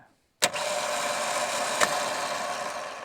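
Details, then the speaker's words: V8 starter motor for a Holden VP Commodore 5L wagon, bench-tested with battery cables: it engages with a clean whir that holds a steady high pitch, running freely. "the v81 this time all connected up I did find the bolt holes were different sizes I couldn't put that one in but could be cuz they're not cleaned out or something but all right V8 testing there we go she engages"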